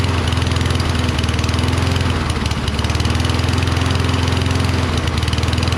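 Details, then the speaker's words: Toro Recycler, Kohler XT675: fast, fairly steady single-cylinder firing only on starting fluid sprayed in, after spark plug and magneto were ruled out; fuel delivery fault at the carburetor suspected, unconfirmed. "as you can see it wasn't the spark plug uh it wasn't the magneto or the spark plug looks like we have to drop that bowl on the carburetor and see"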